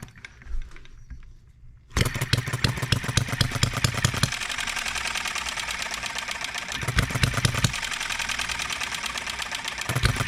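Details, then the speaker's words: Enjomor 6cc hit-and-miss model engine on a cart, first run since last tuning, new flint spring fitted: pops quickly and evenly but stumbles every couple of seconds; intermittent misfire, timing adjustment pending. "still hiccups once in a while don't it"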